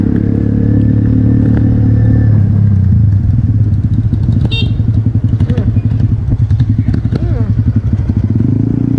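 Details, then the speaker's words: 1974 Triumph Bonneville T140V 750cc twin on a morning ride: an uneven, limping beat with irregular firing at about 220 pulses a minute. Running on one cylinder with a dead spark plug. "Jadi ini yang hidup hanya menggunakan satu busi suaranya timpang guys"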